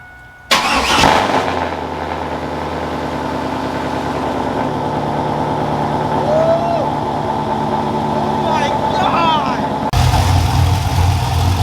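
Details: Car after TSP Torquer V2 camshaft (113 LSA) install with dual valve springs, hardened pushrods, 36lb injectors, untuned, bleeding coolant with radiator cap off: cranks, catches quickly, steady lumpy loping big-cam idle, even; normal cammed idle.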